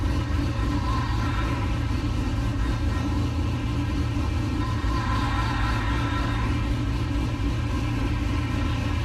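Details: 1969 C50 farm truck LS-swapped V8 (Frank) idling after a power steering rebuild and bleed, still leaking slightly: deep, steady rumble with an even beat and no knocks, misses or ticking; running healthy.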